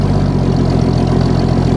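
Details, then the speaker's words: Old bullnose Ford 300 cu in inline six, cold start after 2-barrel carb conversion, three pumps, choke needs work; steady even low rumble, much smoother, no misses, idle slightly low. Normal idle. "so much smoother. I think it's gonna idle. Imagine that. Right on. The idle's a little bit low, but that's all right."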